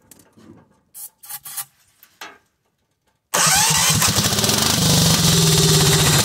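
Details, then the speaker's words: Cub Cadet 2130 lawn tractor, after choke found not working: catches and runs fast but ragged, hunting; spark and compression good, fuel supply and fuel delivery faults, needs more than tapping the fuel bowl. "it needs more work than a little tap tap on the fuel bowl we've got some major stuff going on we've got a fuel supply issue and we've got a fuel delivery issue"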